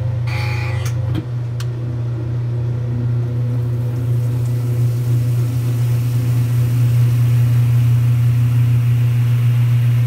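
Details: 1978 Kenmore 70 Series washer agitating normally after fitting a new-old-stock motor, belt and pulley in place of the restorer's different motor and flat belt; deep steady motor hum with a slow rhythmic woo-woo swell about every half second.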